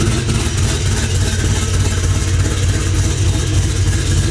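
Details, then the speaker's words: LS V8 mini truck on the ground after exhaust work: deep loping idle pulsing about three times a second with an uneven beat; first thought a misfire, confirmed as the aftermarket cam's lope. "yeah oh it is cam yeah i thought it was just like a misfire no i have a can we're good"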